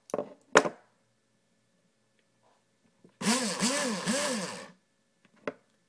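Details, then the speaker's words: JG airsoft AEG, motor pulled up slightly: short burst of rough gritty whirring with warbling tone, sounds like grinding something; cause unknown to the owner. "see it sounds like it's grinding something there"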